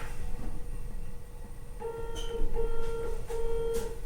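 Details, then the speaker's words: Salvaged iMac that had spent a long time outdoors, after earlier no-chime, no-display failures. It gives the startup chime, then three clear beeps, reportedly RAM-related, though swapping RAM did not fix it. "When I pressed the power button this time, it chimed but gave us three"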